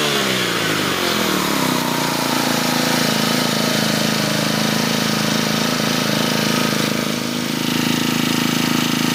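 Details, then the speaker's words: New four-stroke GX25–35 brushcutter engine snapped to high revs, dips briefly near the top, then holds a steady buzz. The carburettor can't supply fuel fast enough on a sudden throttle snap; momentary bog is normal. "นะครับเมื่อเรากระแทกคันเร่งกระทันหันจะมีอาการวอดวูบกันสักนิดนึงนะครับเป็นเรื่องปกติธรรมดานะครับเมื่อเรากดคันเร่งอย่างเร็วนะครับคาร์บูเรเตอร์มันจ่ายน้ำมันไม่ทันน่ะ"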